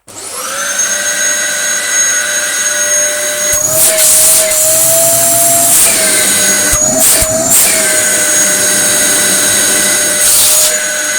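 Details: Dyson DC07 vacuum after full restoration with fresh belts (previously ran but had lost all suction): motor spins up fast to a steady high whine with even airflow rush, no rattles or grinding; running healthy.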